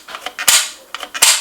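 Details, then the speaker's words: NuTone IK15 intercom talk switch after cleaning out the gummy sticking with spray cleaner and reassembling: crisp, sharp, solid snaps as the button springs back to its upper off position. Normal switch return. "hear that that's a snap of success it's the snapping noise that the button makes when it returns solidly to its upper off position"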